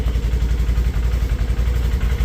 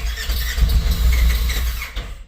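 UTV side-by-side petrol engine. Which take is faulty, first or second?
second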